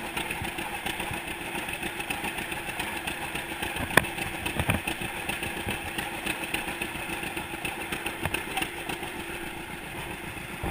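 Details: 1942 John Deere Unstyled A tractor conversion, engine previously stuck, first start after fitting new spark plug wires: loose, even pop-pop of the slow two-cylinder running on its own, no knocks or misses; normal running.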